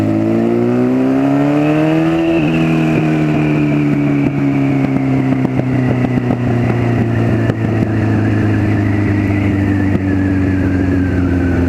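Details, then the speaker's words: 1996 Honda CBR900RR Fireblade frame with swapped-in 2004 CBR1000RR engine, first test ride after fixing cooling plumbing: raw, very loud bark rising with each gear pull, settling at cruise; excessively loud because no silencer/exhaust fitted yet. "she's a bloody noisy at the moment"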